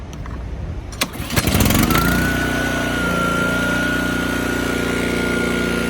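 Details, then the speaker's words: Toro TimeMaster 30" mower with transplanted Honda GCV190 engine, carb jet replaced with a bigger, less restrictive one: catches after a couple pulls, settles into steady even run, governor working, no stumbling or bogging. "with the bigger jet the machine is just the beast it does not bog down at all"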